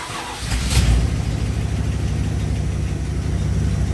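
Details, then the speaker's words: 1987 Dodge D100 318 V8 just fitted with a new aftermarket carburetor, restarted after flooding, still cold before tuning: catches quickly and settles into a steady, even low burble, no misses or knocks; sounds pretty good. "back up and running sounds pretty good phil uh normally you want to tune these when they're nice and warm"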